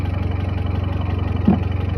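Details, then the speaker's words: Hyundai Creta petrol, after repair of misfire (P0300/P0301/P0302, cylinders 1 and 2): idle now steady and even with no stumbles; fault was a disconnected/missing ignition coil coupler on cylinders 1–2, repaired, earlier noise gone. "Okay हो गया। यहां से जो sound आ रहा था वो भी खत्म हो गया।"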